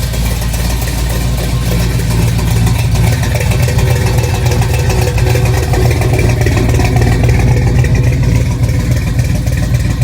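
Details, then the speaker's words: Ford Bronco 429 V8, rebuilt after overspray and backwards pistons, Sniper EFI fitted: loud, steady, even idle with deep rumble, no knocking or ticking; sounds good. "I put the Sniper EFI on it and everything, and it sounds good."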